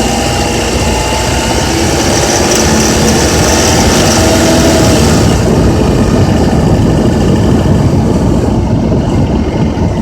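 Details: Honda Accord with K24Z3 engine at 2200–3000 rpm: steady running with a loose, uneven rattle of about four beats per second over the drone; source not identified.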